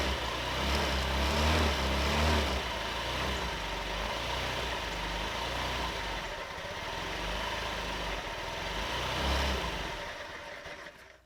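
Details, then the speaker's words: 50cc Honda Metropolitan scooter two-stroke, bought non-running: buzzes and surges, holds revs only with extra fuel from blowing into carburetor diaphragm hose, won't idle; suspected bad diaphragm assembly or clogged main jet. "So I fiddle with this for quite a while, and I get it to run pretty well by blowing into the diaphragm, which raises that needle, which allows more fuel."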